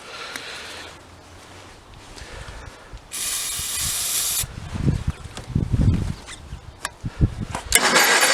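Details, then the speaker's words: 1985 Case Ingersoll 448 Hydrive garden tractor, Onan B48M/B38M twin, no-start after fuel line replacement: uneven firing bursts that catch and die with spray hiss between, running only on starting fluid in carburetor; fuel starvation, failed fuel pump. "So it is absolutely running on only what I'm giving it."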